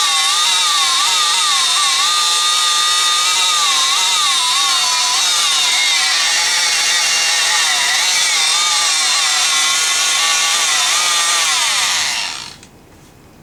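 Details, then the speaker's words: Rockwell Sonicrafter oscillating tool with an intermittent speed-control fault, after replacing a cracked resistor in the speed control circuit: high buzzing tone wavers up and down. Uneven motor speed, better but not fixed. "doesn't seem perfect but it's working better"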